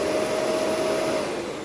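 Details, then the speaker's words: Shark Rotator NV520 vacuum with pre- and post-motor filters tapped out: a smooth, steady motor whine with even airflow and no rattles or surging, winding up and down normally. "it runs no problem wind up is fine wind down is fine"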